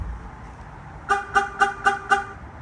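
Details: 2001 Chevrolet Tahoe aftermarket alarm with shock sensor tuned more sensitive, tapped near the wheels: five quick, evenly spaced horn chirps about four a second over quiet street background; normal warn-away chirps.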